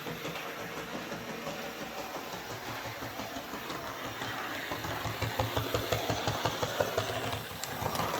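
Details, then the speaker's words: Hornby 08 Shunter on test track after repair for motor spinning without wheels turning: small drive whirs with a regular clicking thump, about three a second, from a big piece of fluff caught in the worm gear. "so just when i thought it was fixed that uh developed an unforeseen problem a horrible thumping sound"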